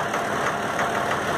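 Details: Valtra A750 three-cylinder diesel tractor at idle: a steady stumbling rhythm of about three uneven beats a second, a misfire with one cylinder dropping out from a sticking injector.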